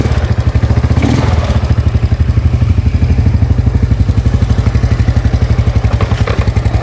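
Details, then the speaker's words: Yamaha Mio Sporty carburetor scooter that ran but stumbled and died on throttle, after replacing the carburetor vacuum diaphragm and needle set (needle jet kept): even low putter at idle, steady, no stumbling; now responsive. "Oke ya, sekarang sudah langsam, sudah mau digas ya, sudah responsif gasnya ya."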